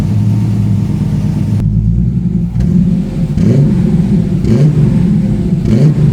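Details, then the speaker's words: TVR 290S on MS2 (Megasquirt) engine management with TFI black CCD ignition module and wrapped manifolds, after months of trying: catches and revs cleanly in quick, even bursts, then settles, with no misfire or stumble; normal idle and free revving, though more tuning is still needed. "so that's it after months of trying to get the tvr to run right it's idling free revan fine now it starts up really well as well"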